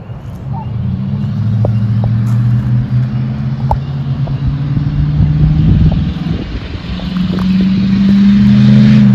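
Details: 2007 Chevrolet Silverado after fuel pump replacement. Engine holds a steady idle and revs cleanly and repeatedly without stumbling: normal running.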